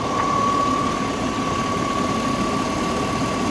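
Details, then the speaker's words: 2000 Chevy Suburban 5.3L Vortec V8, one-owner Texas truck, with the serpentine and AC belts plus idler and tensioner pulleys recently replaced. Smooth, even idle with a steady light belt whir, no knocks, ticks, rattles or smoke; it runs healthy. "Will you just listen to this thing purr?"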